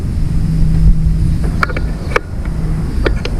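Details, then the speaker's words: Old Ford tractor that hadn't run in years, being revived after a setting was tightened up: low, steady engine drone holding an even beat under wind gusts and a few knocks; runs smoothly with no stumbling, much better than before. "Then we need to turn that, tighten it up. Ah, I can feel better. Hear that thing running."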